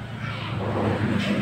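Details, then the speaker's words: Kia Picanto, manual transmission, after replacing the crankshaft position sensor that caused a long hard start; small petrol engine now starts in one click and settles into an even run with no misses; healthy. "so ang maganda po diyan ay palitan na siya magi-start naman siya yung luma kaso hard start lang talaga matagal pag pinalitan niyo na yan one click na yan"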